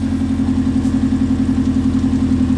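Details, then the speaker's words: Subaru Legacy flat-four after single TD04 turbo conversion (7psi wastegate), full open downpipe, first start: steady, even low rumble with regular beat, no knocks or misses; idles cleanly, sounds like a Forester. "and that sounds pretty good yo that sounds really good sounds like a Forester"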